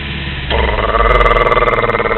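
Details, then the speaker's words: Engine cold-started about a minute earlier, smooth with no tick: steady idle suddenly kicks into a louder, fast throbbing shudder, like a Jake brake; owner wonders about an exhaust leak or EGR and plans a compression test, cause unknown. "what it sounds like exactly what it just did are just kind of kicks in like that that's why I said Jake brake because very unusual"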